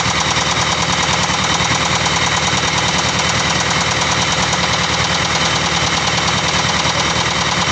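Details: Steady diesel idle with a hard knock about eighty times a minute over a rough clatter; engine sounds noisy and rough, cause of the knocking unknown.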